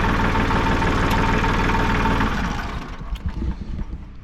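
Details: Tractor diesel idling just after a new water pump was installed, no more leaking; steady low chug with even firing, no knocks or rattles, easing off toward the end; runs healthy.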